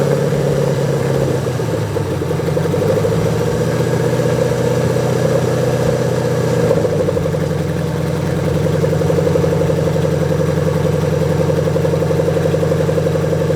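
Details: 2003 Mustang GT just after 4-valve engine swap, jumper-started with no exhaust, cooling system, MAF or coolant sensor connected: loud unmuffled idle hunting and stumbling, pitch wandering; rough-running engine not yet settled.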